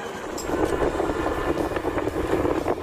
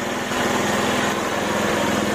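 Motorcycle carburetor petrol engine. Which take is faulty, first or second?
second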